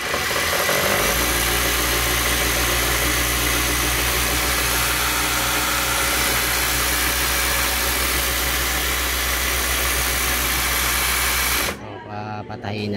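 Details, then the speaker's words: Overlock sewing machine that wouldn't power on and stalled when pedal pressed fast, after cleaning out thread and fresh oil: smooth, even fast whirring without stumbling until switched off; runs freely at high speed. "pinaandar na natin ng mabilisan ta's pinalitan na rin natin ng langis Okay na yan"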